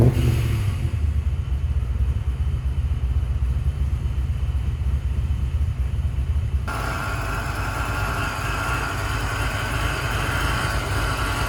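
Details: 1994 Impala with Vortec supercharger, no-start traced to intermittent fuel pump not running: engine catches and settles into a low steady rumble with good fuel pressure, no misses or knocks; smooth quiet normal idle.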